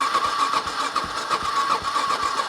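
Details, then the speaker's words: Cold carbureted motorcycle cranked on the starter with choke off and throttle untouched: steady starter whir with even cranking pulses and no firing; won't start without choke. "okay so in this current situation with the choke fully in I'm not going to touch the throttle I'm just going to press the start button this bike won't start [Music] it is not going to start"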